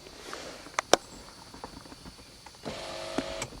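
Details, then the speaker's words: 1991 Mercedes-Benz 420 SEL power window in the accessory position: switch clicks with no motor response, then brief runs. It rolls down but often won't go back up, likely from high resistance in the switch contacts. "But I can't get it to go back up no matter what I do. Sometimes I can jimmy it. There it goes. It's kind of intermittent."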